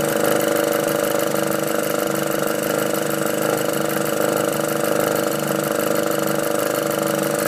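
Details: VW Golf R after a catch can install: steady idle with a fast, fairly even light ticking of about three or four a second over the engine hum. The source is unclear.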